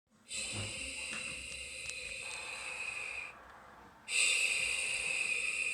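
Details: Google Home Mini, set up months earlier and left unused, suddenly makes two long airy hissing bursts like slow heavy breaths with a pause between; spontaneous breathing-like hiss glitch of unknown cause.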